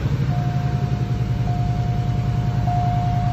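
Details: 2001 Cadillac DeVille with codes P0351 and P0303, just started: low, lumpy idle stumbling about twice a second under a steady chime; misfire from a failing ignition coil and plugs, later replaced.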